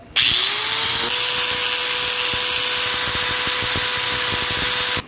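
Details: Metabo angle grinder after repairing a missing line connection to the carbon brush that had caused a rough, dead running sound: quick spin-up to a steady, even high whine held about four seconds, no rattle or grinding; runs healthy.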